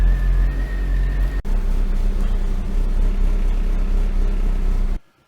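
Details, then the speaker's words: Eagle Talon (DSM) at its first start after a 12-year full restoration, coolant at 144 degrees and rising: a steady, even low idle with a smooth unbroken rumble and no knocks or misses. Normal warm-up idle. "And you can see that it's warming up pretty good there, and coolant temperature is 144 degrees right there, and so it's getting up to operating temperature."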